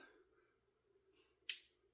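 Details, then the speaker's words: Pistol functions check, chamber verified empty: pulling slide to rear in near-silent room gives one small crisp click as striker engages sear and cocks; normal striker engagement. "I know it's kind of hard to hear, but you will hear the striker engage on the sear, which is cocking"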